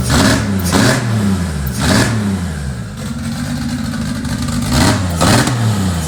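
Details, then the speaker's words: 2JZ-swapped Toyota Celica, first start after a three-year build: repeated revs rising and falling about twice a second, heavy and rich with black smoke; fuel pressure regulator accidentally set to about 75 instead of the intended 60. "there was a whole bunch of smoke and it was black and that cuz it was running stupid Rich uh the pressure regulator was actually set to like 75 on accident"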